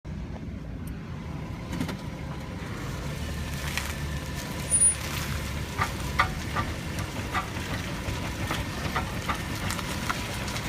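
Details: VW Touareg at slow speed with wheels turned: irregular sharp knocks and clunks, car skipping/shaking, sometimes worse, sometimes minor; owner wonders about CV joint, transfer case, its stepper motor or center carrier bearing.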